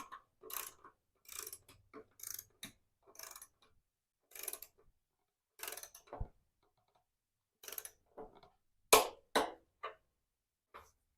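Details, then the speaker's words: 1990 Harley-Davidson Sportster 883 under restoration, wheel turned by hand: light scraping rub about twice a second; wrong rotor bolts lightly touching the caliper bracket. "What's hanging up, if you can hear it, is the bolts that we already knew that were wrong in the rotor are just lightly touching this bracket. And that's where you can kind of hear it rub a little"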